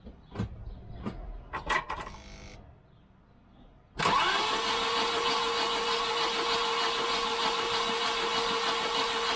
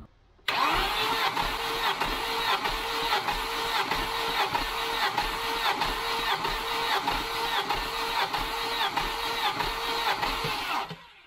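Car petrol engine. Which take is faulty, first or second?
first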